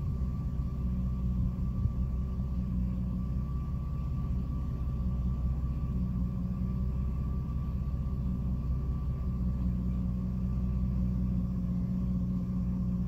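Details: 2006 Jeep Liberty idling with A/C off: low idle rumble with uneven pulse and odd rhythm dips, randomly stumbling and nearly dying every so often; intermittent rough idle, cause not pinned down.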